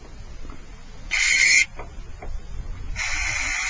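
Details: Fuel injector removed from a 1991 Honda Accord, bench-tested with direct battery power after cleaning: two sharp, even hiss bursts as the injector is energized, each cutting off crisply; it sprays properly.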